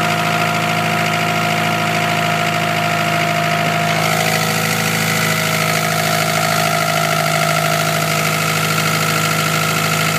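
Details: Petrol Evo 9 idling steadily, then revs rising and falling in uneven blips, with a faint ticking underneath at idle; start-up issues reported, cause of the ticking unknown.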